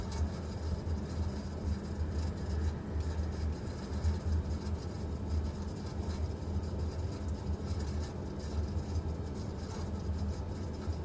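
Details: Vaillant VUW 202/2-3 R2 gas boiler making a strange noise: steady, deep droning rumble with a fluttering, rough edge that never lets up.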